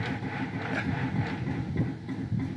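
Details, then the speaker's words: Smoke-N-Seer pellet grill on its stock controller, climbing fast toward 350 degrees while dumping pellets: uneven low rhythmic rumbling and rattling pulses over a steady hum; source unknown, owner doubts it is the auger. "that is super bizarre yeah that sounds like something out of a sci-fi movie"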